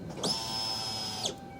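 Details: 2001 Ford Escape 2.0L after replacing the bad fuel pump and Motorcraft fuel filter, key-on: about one second of high even whine starting and cutting off cleanly; fuel pump primes normally, no leaks seen.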